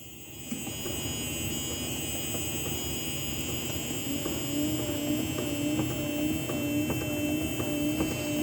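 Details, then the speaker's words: 1970 Plymouth Duster, reinstalled motor with a new filter: steady motor drone with a light regular click about twice a second. The linkage does not rub on anything and it parks properly, so it is operating normally. "good it's going around and around we don't hear it um the linkage rubbing on anything under there"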